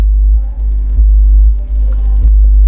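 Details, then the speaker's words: Amplifier with TDA2030 channels and subwoofer IC, loud steady low buzzy mains hum through the speakers because the baffle/chassis is not grounded; fix is earthing the chassis with a wire. "Donc le problème vient de la mise à la terre Le baffle ou le châssis n'est pas mis à la terre, c'est la raison."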